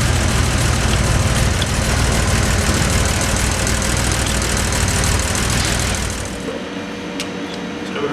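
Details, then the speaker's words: Series II Jaguar E-Type engine, not set or tuned up right, comes in for a full service: light rapid clatter, about four ticks a second, over the running note as loose buckets and shims rattle on the cams; tappet clearances to be measured and re-shimmed. "Probably hear in the camera in the sound that the buckets and shims on the cams are rattling. Certainly for such a nice looking Series 2, you certainly don't want that sound."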